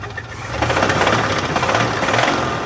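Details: 1983 GMC S15 Jimmy 2.8L, not run in 15+ years with the passenger valve cover left off, first start: rough running with a hollow, uneven knock under the rumble; a knocking rod is suspected.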